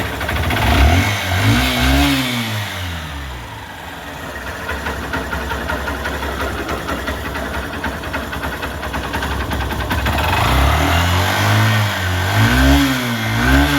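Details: Honda Shine 125 BS4 single-cylinder after compressor (compression) repair with new valves and guide, work complete: idle climbs cleanly through blips and settles evenly, no knocking or rattle; healthy running.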